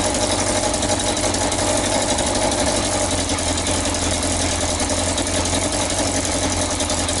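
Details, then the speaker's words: Yamaha XJ900S Diversion motorcycle at idle; sharp puffing chuff on each firing pulse. First suspected the manifold, but the blow comes from the exhaust pipes at the header joint. Exhaust leak at header joint. "so I fought it was blowing from the manifold their horrible forging flapping stands you could hear it says that it's blowing from these pipes"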